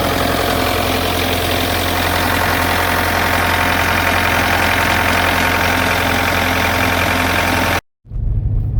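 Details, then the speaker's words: Bobcat skid steer that only clicked at the key, after cleaning and tightening battery terminals, started cold: a little rough at first, then loud, steady diesel idle with no knocks or misses; running. "oh she's a little grumpy yes you are cold well there it is it's up and running"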